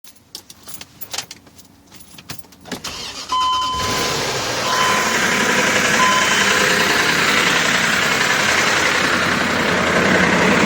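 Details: 2005 Range Rover, BMW engine, timing-error code: at idle a steady clattery rattle, about 3–4 per second. Timing chain noise from vanos oil starvation, caused by oil filter particles clogging the two check valves; fixed by clearing them.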